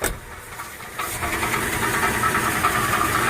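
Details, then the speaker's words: Idling petrol engine with loose, uneven metallic rattle, about three a second; owner suspects flywheel rattle, unconfirmed. "is the flywheel rattling so I'm going to have to deal with that a little bit later"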